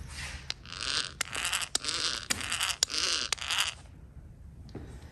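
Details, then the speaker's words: Roughly 75-year-old Van Dorn electric drill during restoration, gearbox opened and gears turned by hand near camera: dry rasping scrapes in bursts about twice a second; no grease visible, owner suspects lack of grease made drill loud. "let me hold this near the camera you can hear this this thing could use some grease"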